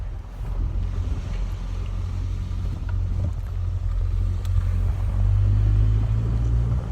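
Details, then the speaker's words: 1994 Ford Ranger M5R1 manual transmission after rebuild with new cluster gear and input shaft, on the road: low steady rumble with no whine rising with speed; previous whining gone, gearbox quiet and healthy. "so the dangerous Ranger number two transmission is happy no more whining that sounds like success"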